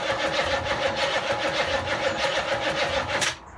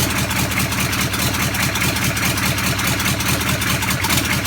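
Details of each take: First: Land Rover Defender V8 conversion, dry-started with no exhaust and no coolant, using an exciter lead for the starter: steady starter churn at about three beats a second for three seconds with no firing, then silence; cranks but won't start. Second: Land Rover Defender V8 conversion, first run with no exhaust fitted and no coolant: loud crisp evenly spaced exhaust pulses at fast idle, no misses or knocks; described as one of the better engines heard run; normal running.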